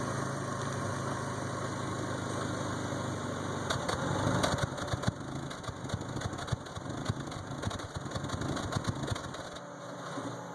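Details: 1992 Toyota Camry 4-cylinder with rebuilt engine: ragged idle with skips and pops that worsen until the engine quits; misfire.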